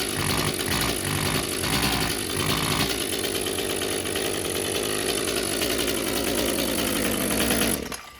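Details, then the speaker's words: Echo CS-355 chainsaw that won't rev to wide open throttle: it sounds flat and muffled with no crisp pop, the revs stall short of a clean scream and then drop away, caused by a clogged spark arrestor screen. "you won't be able to hear the pop pop pop it's all muffled"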